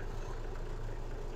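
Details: 1966 Ford F250 240 straight six, just after a replacement gas tank was fitted and filled, with air being purged from the pickup tube: low, even idle rumble with no misses or knocks; it is running smoothly.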